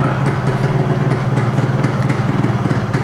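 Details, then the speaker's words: Yamaha RX two-stroke motorcycle, not yet at operating temperature, during carburetor idle screw adjustment: fast, even putter at about 1200 rpm, steady, set just above stalling; will idle slightly lower once warm. "RPM is roughly around 1200 so when the engine reaches operating temperature then it would idle little low"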